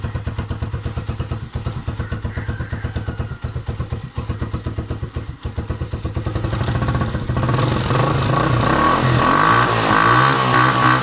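Kick-started single settles into a steady, even putt-putt, then revs up cleanly with no stumbling or misses; runs healthy.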